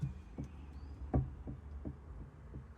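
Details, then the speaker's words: Old rear brake disc from a BMW R1150R, likely original at about 50,000 miles, rocked on a flat surface before replacement. About six uneven hollow knocks in three seconds show it is not flat: a warped disc. "can wobble it because it is not flat, it's a little bit warped. Again, probably hard to see on camera, but you can hear that."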